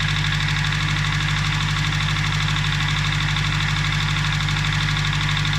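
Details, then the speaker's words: Nissan Primera P11 SR20DE knocking after an oil change; steady, even knock about three times a second over a smooth idle. Hydraulic lifters with thick oil are suspected, not confirmed. "Гидрокомпенсаторы. Масло густое."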